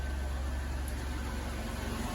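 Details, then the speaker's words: Van engine rebuilt after repeated overheating, first start: smooth, steady low purr at idle with no tick or knock, quieter than before, little or no smoke; healthy. "I don't even hear a tick that is surprisingly quiet"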